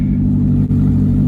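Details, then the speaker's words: Bone-stock 1999 Mazda Miata NB, sat 8 years, catalytic converters/exhaust removed: deep, loud raw burble steady under throttle, far louder than stock, likened to a duck quack; loud exhaust from missing catalytic converters. "Shoot, man, why spend money on an exhaust when you can just take it off? It sounds the same. Oh yeah. Some burble tune."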